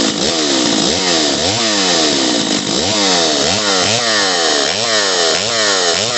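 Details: Stihl 028 AV Super chainsaw after top-end rebuild with Highway cylinder, piston and kit, retuned, two tanks run: crisp two-stroke snarl revving up and back about twice a second, clean, no bogging; runs healthy.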